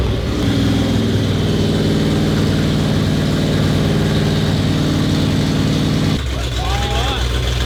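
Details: 1972 Holden HQ, original 308 V8, restored, running after cam and crank timing were corrected: loud, lumpy burble that runs steadily without misses, then eases lower near the end; normal running.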